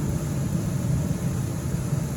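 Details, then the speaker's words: 2025 Forest River Sunseeker 3050 travel trailer, first air conditioner switched to fan mode at the thermostat (no heat pump fitted): the rooftop fan kicks in with a smooth, steady low whoosh and hum, no rattles, scrapes or wobble; normal fan operation. "So, hitting that button once you get to your fan. You hear the fan kick in."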